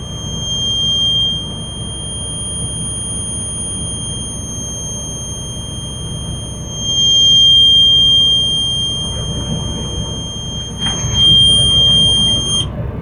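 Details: School bus diesel at high idle during the brake check: a steady high-pitched buzz holds while the compressor builds air toward 120–140 psi cutoff. The low-air warning is working normally.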